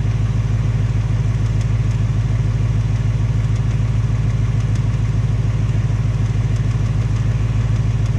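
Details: 2018 Ford Mustang GT, second engine with 1200 miles, steady idle with a fast even light tapping about three per second over the deep exhaust rumble; piston slap or Coyote tick suspected, unconfirmed; Ford installing a third short block.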